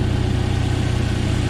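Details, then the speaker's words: Freshly rebuilt 1997 Jeep Wrangler TJ 2.5L four-cylinder at idle: quiet, tight, steady, even low rumble with no knocks or misses, no power gain noted; normal idle. "it's really quiet got a good tight sound so i love it"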